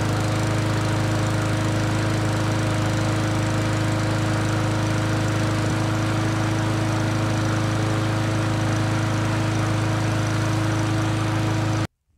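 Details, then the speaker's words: Customer's lawn mower that wouldn't start after winter storage, after carburetor service and fresh fuel, run three or four minutes; single-cylinder holds a steady drone with no surging or misfire, then cuts off cleanly. "all right so now it's been uh ran for three or four minutes ran like a champ probably as good as it did the day it was new"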